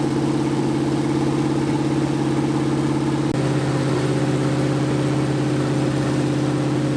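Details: 1980 Dodge short-bed truck big-block V8, first run in 14 years, during cam break-in after converting from points back to factory electronic ignition; steady even beat at fast idle with brief shift partway, no knocks, normal running.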